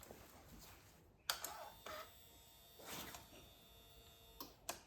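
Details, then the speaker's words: Suzuki SV650 fuel pump, previously stuck with grime and now cleaned, bench-tested plugged into the bike outside the tank: faint steady high whine under handling clicks; pump spinning freely and healthy. "So, plug the fuel pump into the bike. And hopefully you'll hear the fuel pump."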